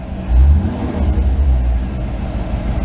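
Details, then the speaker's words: Car after MSD distributor control module repair, timing advanced a little to cure a puffing exhaust: deep, even engine note with a brief rev blip, no puffing or misses; now nice and smooth. "It had to be advanced a little bit. The exhaust was like puffing, puffing noise. Now she's nice and smooth."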